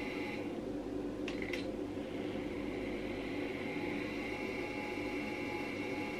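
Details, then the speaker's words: Segway motor on an eBay sensorless brushless driver, reversing direction, starting slowly then accelerating: low, even hum with steady whine tones, no stutter or cogging; controller working well, MOSFETs staying cool. "I have to admit the circuit is working quite well you can hear it by the sound of the motor"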